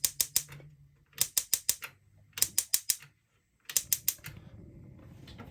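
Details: Gas burner in a 2021 Jayco Journey 22.68 caravan, lit after purging air from the gas lines. Quick bursts of four or five sharp clicks with short pauses, then a soft hiss as the burner catches. The igniter is sparking normally.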